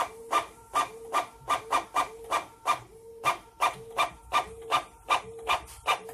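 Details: Printer: rhythmic scraping rasp with a short tone about every half second as the carriage cycles, far rougher and louder than normal; printer mechanism noise, cause unknown.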